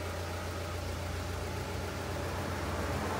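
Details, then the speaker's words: Nissan NP300 pickup at idle, after replacing clutch pressure plate, disc and release bearing: pedal pressed, steady even idle with no whir, chirp or grinding; pedal now smooth, release bearing quiet and normal. "está ningún ruido quedó s super bien el embrague quedó suave muy suavecito el pedal"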